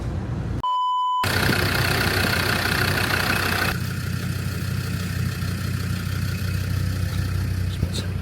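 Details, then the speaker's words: Land Rover Discovery 2 diesel idling very rough with an uneven, lumpy beat about three times a second, like a big V8 cam; it runs very rich with smoke and blow-by, and the intermittent fault is undiagnosed. "and the idling is really rough on it. Sounds like it's got a big cam in it or something."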